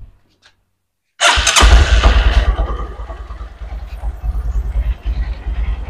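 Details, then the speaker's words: Honda Verza fuel-injected motorcycle that kept dying suddenly, after electrical check and fault-code reset: engine catches and settles into an even, steady idle, RPM and throttle response stable; normal start and idle. "Respons akselerator akan stabil. Sekarang, RPM sudah stabil. Di sini juga stabil ."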